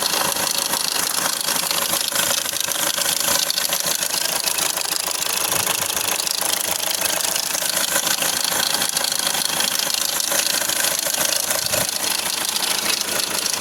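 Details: Hyundai Accent CRDi (RB) diesel idling with fast steady metallic rattle about three per second over clatter; suspected loose timing chain, a common problem, unconfirmed.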